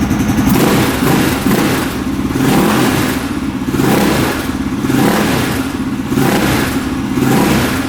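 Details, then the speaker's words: 2003 KTM SXC 625 Supermoto single-cylinder after a carburetor clean fixed its poor running. Repeated throttle blips pick up cleanly without hesitation or bogging. Healthy throttle response. "Very responsive, doesn't bog down. All right, so the carb clean fixed it."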